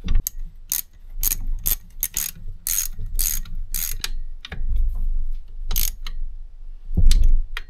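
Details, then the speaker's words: Kubota B7100 tractor gearbox turned by hand during reassembly after chewed-up gears and bearings were replaced: light, irregular clicks and ratcheting with no grinding or rough spots; it sounds much better and meshes smoothly. "that's sounding really good much better"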